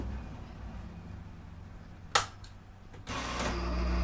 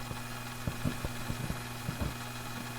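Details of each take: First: 1960s Hammond M101 organ, long unplayed, during servicing: click as start button now engages right away, then low hum with uneven rough whirr and nasal tone, like a sick cow; dry tone generator still running rough. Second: 1960s Hammond M101 organ, unplayed for years, after adding oil to the tone generator: smooth, even low hum with a few faint pops on top, possibly a tube not seated; quiet, normal purr.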